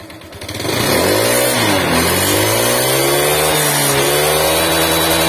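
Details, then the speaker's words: Honda Vario 125 scooter found with no oil at all, had seized; refilled with used oil, now starts. Revs then settles into a fairly even but slightly rough drone, smoother now; thick smoke and much worse noise once hot. "Setelah saya kasih oli nggak seberapa, tapi ini sempet gancet ya intinya"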